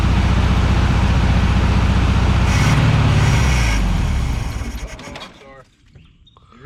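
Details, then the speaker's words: Vehicle cranking while the fuel pump isn't pumping; even cranking about three turns a second, never catches, then winds down: crank no start, fuel starvation. "i'm pouring the gas but it's not uh it's not pumping"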